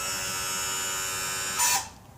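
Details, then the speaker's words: Pre-1996 outboard engine wired to a 2008 outboard controller through an adapter harness, power trim and tilt just connected; steady high-pitched electric motor whir for about 1.5 s, cuts off cleanly — normal trim/tilt operation, no issues. "Then our power trim and tilt goes here. Ooh. No issues there."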